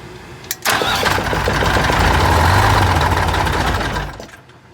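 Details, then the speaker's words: 1985 Bluebird Wanderlodge PT40 diesel cranking with the stop held: the starter churns steadily at about 160 rpm for three seconds but the engine never fires. Air remains in the fuel system. "we got some air still I think in the fuel system but I'm all Betsy I have to give hold the stop on and then we're gonna try to crank it over try to get some fuel in the head"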